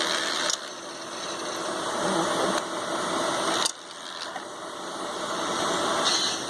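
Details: Fans in an ICS Advent Pentium III industrial PC, heard with all covers back on after an attempt to clean the worn fan filter: steady airy rush with a faint high whine, running evenly and normally.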